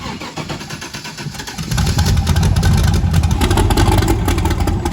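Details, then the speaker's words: Twin-turbo LSX-swapped 240SX at its first start on the new turbo setup, running a base Terminator X wizard tune: a brief crank, then it catches at once and settles into a strong, even V8 idle firing on all eight cylinders. "then it catches itself and [ __ ] got it smoothed out hitting on all eight right off the rip"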